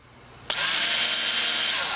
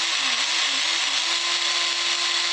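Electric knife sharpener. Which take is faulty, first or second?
second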